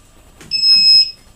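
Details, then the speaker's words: TAL-Q quadcopter powered up with handset already on and switches up: one clean half-second high beep from the control board, the normal startup tone showing the motors acknowledge power. "you hear initial beep and the motors acknowledge that they're on"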